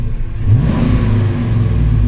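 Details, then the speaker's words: GM Gen V engine swap after a throttle body airflow reset: a short rev climbs and drops straight back to idle instead of hanging around 3000 rpm, as it did before the fix. "I am doing this right now so my field terms are just a little bit off but it sounds completely different and the other thing is if you rub it"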